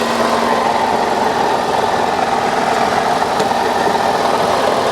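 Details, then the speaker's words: Salvage Lincoln MKX with CVT, idling in park: harsh constant rough roar with a faint whine from near the transmission. Noise disappears when put in gear; torque converter bolts or cracked flywheel wondered about, source unclear. "Let's get out, take a listen. Coming from this side over here by the trans. Something's going on down here for sure."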